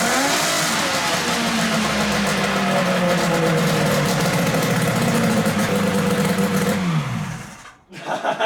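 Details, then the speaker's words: XLT 600 snowmobile two-stroke engine in a mini lifted 4WD car project, first run. A loud, busy two-stroke buzz holds even and strong for several seconds, then drops away; it runs well. The tachometer isn't working. "oh it runs it runs good"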